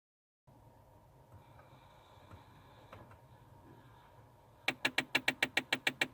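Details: 2009 Kia Sportage, cabin: rapid even knocking about eight taps a second behind dash, mode door actuator area suspected; cause not confirmed.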